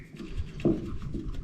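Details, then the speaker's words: Mystic Prime Supercross Envy BMX bike with internal cable routing, bounced after refitting the cable: only soft dull thumps and scuffs, no metallic pinging inside the frame, rattle fixed. "No dinging now. It's pretty good."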